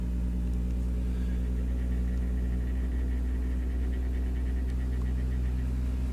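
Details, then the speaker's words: Blower fan motor in a 2011 zone-system install, driven by an ICM 752-30 variable frequency drive in circulation mode. As it ramps up, a steady low hum shows a couple of loud frequencies around 33–35 Hz that quiet down as static pressure rises. It runs smoothly with no rattle. "can hear it ramped up there are a couple loud frequencies this is 33 hurts right there 34 hurts and it'll quiet back down 35 hurts"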